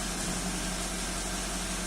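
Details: 2005 first-generation Toyota Avanza at idle after repair and clearing of EFI trouble codes, scanner showing no faults: smooth, even idle with a steady low hum and slight hiss, no misses, stumbles or knocks; engine healthy.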